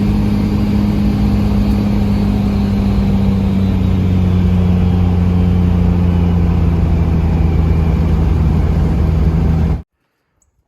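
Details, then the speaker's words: Mega Cab diesel street truck (1000hp build) just fitted with a new Greg Turner-built S475 turbo, S400 housing and new oil feed line, first start-up: steady deep low drone, smooth and quiet, no knocks, rattles or whistles; normal diesel running. "ladies and gentlemen, I'll have to say I am pretty impressed. It is smooth. It is pretty well quiet until you step into it."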